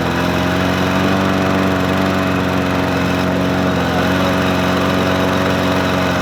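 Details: Murray 20-inch 4.0 HP push mower (20415x8D), a found mower, primed and started on a cold 53°F day: steady, even engine drone with no hunting, misses or surging; running cleanly and smoothly.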